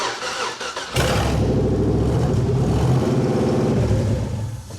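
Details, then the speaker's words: '98 Chevy Blazer 4x4 with swapped used LS1 engine, first start: fires, runs evenly about three to four seconds then cuts out cleanly; anti-theft immobilizer killing it as PCM not yet programmed, not a mechanical fault. "Sounds good. But for only about 3 seconds. You know what that is, don't you? Anti-theft. No, the anti-theft."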